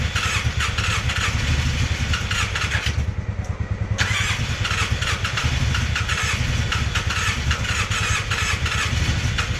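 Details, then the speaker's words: Polaris Sportsman 600 with almost no compression: long cranking with weak, irregular firing that nearly catches but won't settle into an idle, while the starter needs cool-downs. "all right YouTube we got some bad news with the sportsman six hundreds yep unfortunately she's got no compression"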